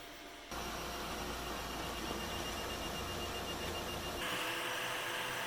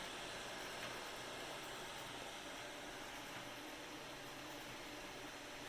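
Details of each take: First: Anycubic i3 Mega 3D printer with stock stepper drivers while printing: steady high electronic whine over busy motor chatter, before swapping in silent drivers and fans. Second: Anycubic i3 Mega 3D printer after silent mod with quieter stepper driver chips and replacement fan; only a soft, even power-supply fan hiss, no stepper whine or clatter; normal quiet running.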